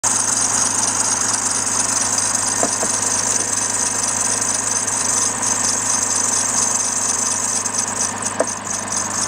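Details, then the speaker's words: Idling engine with a shrill, rapidly chirping serpentine belt squeal that cuts out after lubricant goes on the belt's groove side, leaving a smooth idle: a worn belt slipping on pulleys. "so we know what's going on here now this is a worn belt issue"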